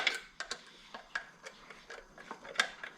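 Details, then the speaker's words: 1984 Chevy truck, 454 big block, with ticking noise: light irregular ticks about three a second as distributor turned by hand; rotor striking an overlong distributor cap screw, not cam gear or lifter. "you can see right in here is that screw is too long and you can see it's colored the same color as the plastic what it's doing and perfect shot and you can see it right here it was beating the crap out of this that's what that sound was coming fr"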